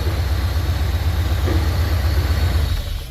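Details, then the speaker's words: Porsche 928 V8 after fuel pump replacement and new intake gaskets (old ones cracked and broken): starts in 1 second instead of long cranking, deep steady idle rumble with even pulse, no hunting; normal idle. "So as you can see, it takes only 1 second to start the car up compared to before. Before you got to crank it and crank and crank and crank."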